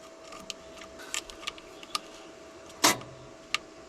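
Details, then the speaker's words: 1992 JLG 60H 4x4 boom lift with a Ford LSG 423 gas engine, trying to start it from the control source to main power without jumping: scattered small clicks and one louder snap, but the engine never cranks, so there is a starting-circuit fault. "you can hear a clicking in there but that should start the machine so something's not happening right in"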